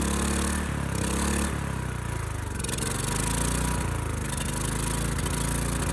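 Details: Ridgid generator, Yamaha MZ360 single-cylinder engine, about 10 years old, unused 4 years, first start on starting fluid after carburetor cleaning. A steady, rapid beat runs faster than normal idle. Owner finds the throttle sticking and suspects a slightly lean mixture.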